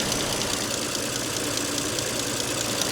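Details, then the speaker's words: Audi S5 with worn camshaft sprockets: light, fast, evenly spaced ticking over a steady idle from one side of the engine; owner believes failing rockers with broken ball bearings, not the high-pressure fuel pump. "But if I start the engine right now, it has a tick, which I'm pretty sure is from the rockers, because the tick kind of sounds like it's from this side,"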